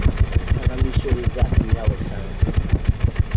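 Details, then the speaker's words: 2014 Nissan X-Trail T32, rough idle, loss of power and vibration with no check engine light; mic at the tailpipe: uneven idle puffs, about three a second with dropped beats, a steady dead misfire. "definitely have a dead miss or in Miss okay so let's pull out the tools and see exactly who the culprit are"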